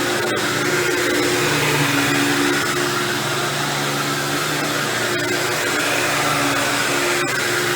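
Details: Dirt Devil Deluxe 8201 upright vacuum running with fresh new belt; high motor whine with a steady rough gritty grind underneath, which the owner traced to the brushroll rather than the motor, consistent with worn brushroll bearings.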